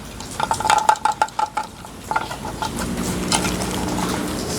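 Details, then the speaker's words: Newly unboxed 70 cm softbox studio light that arrived in a badly smashed box: quick run of light metallic clinks when tipped; something small and loose rattling inside the housing. "What was that noise? something rattling inside."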